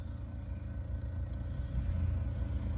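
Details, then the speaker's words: HVAC package unit heater (X13 ECM blower): low, uneven droning hum with wobbling pulse instead of smooth whoosh; module bad, motor barely spins with red and green jumped out; failing blower motor. "x13 has the bed look listen the module it bad it barely spins and that's got red and green jumped out"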